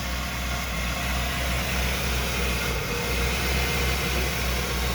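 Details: 1994 Ford E350 Club Wagon 351 V8 cold idle: rough uneven beat with odd stumble, misfire worse when dead cold, improves warm, worst under load climbing hills; base timing about 10; cause not yet pinned down.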